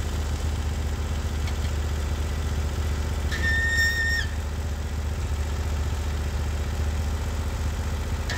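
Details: Norwood HD36 v2 bandsaw mill with new roller guides replacing ceramics, cutting big black oak: engine holds steady even drone through the cut without bogging or surging, one short whistle; cut exceptionally smooth, normal.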